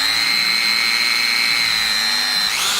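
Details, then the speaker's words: Newer-style DeWalt 18 V cordless drill, not that old, running free: loud steady high whine over a faint lower hum, then brief wind-up and stop; motor is audibly noisy. "And you can hear the motor in this one. This one is not that old."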